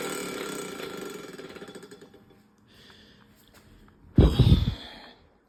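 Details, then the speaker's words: Minka Aire San Fran ceiling fan: rough pulsing grind that fades, then a couple of loud thumps; no obvious source, dry bearings suspected, not confirmed. "as you can see that is not a good sound sounds like a race car it doesn't look like yeah it doesn't look like it's coming from anywhere obvious"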